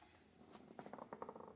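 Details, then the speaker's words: Utility trailer wheel spun by hand after servicing wheel bearings and snugging the nut. Light, quick ticking repeating as the wheel turns, like flapping inside the tire; old valve stem torn off and left loose inside the tire, harmless. "That's what happens when you don't remove the old valve stem out of there and you just kind of rip it off. Sounds like the wheel on The Price is Right. It ain't gonna hurt nothing in there, but maybe next time we get tires, we get them done right."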